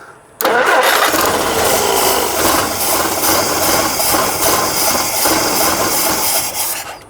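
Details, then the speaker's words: 1958 Jeep CJ5, previously cranked but wouldn't start: engine catches and runs raggedly with uneven firing and surging instead of smooth idle; owner suspects fuel issue, likely flooding it, not getting fuel. "Sounds like a fuel issue, but I'm not 100% sure. Oh, there we go. I don't know if I'm flooding it or not giving it enough."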